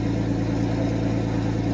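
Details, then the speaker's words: 1991 Mercedes 190E with CIS fuel injection, first cold start of the day: fires right up into a steady, even idle with no hunting or misses as idle speed corrects; normal idle. "as you can see it fired right up the idle speed will correct"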